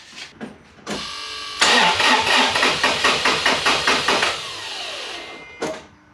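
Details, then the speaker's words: Toyota FJ Cruiser 4.0 V6 1GR-FE, first start after timing chain replacement for P0016: starter turns over sluggishly at about four labored beats a second and fades; slow crank from weak battery needing charge. "guys now the battery clearly sounds like it needs to be charged so let me charge it up for an hour and I'll come right back"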